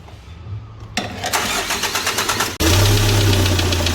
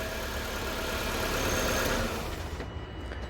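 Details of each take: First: Hyundai D4CB diesel after break-in: engine catches, then a sharp regular knock, about three a second at idle, over the diesel clatter; a broken oil-cooling jet is hitting the piston, which shows a strike mark. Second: Nissan engine starts and settles into an even, steady idle with no misses or knocks after the relay was swapped; running normally, no fault codes.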